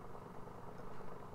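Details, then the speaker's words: Atari 410 cassette unit after replacing only the main drive belt: soft steady whir, no wobble or scraping, spindle turning on fast forward and rewind; normal running, belt fix cured it. "the motor there you can hear the spindle turning on it fast forward and you can hear it again on rewind"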